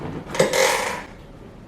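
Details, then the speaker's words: GTracing budget gaming chair: short sharp squeak, two quick chirps as the seat back reclines, from underneath at the edge of the seat base. "now i'm going to recline"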